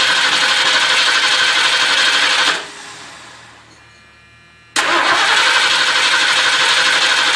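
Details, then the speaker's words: 1978 Ford LTD cranking steadily, about three strokes a second, but never firing after a new starter was fitted; seems not to be getting fuel, runs briefly on starting fluid but won't stay running. "oh all right now that's just not cool I don't know what I did to her here but uh she doesn't want to start so I'm going to have to figure out why"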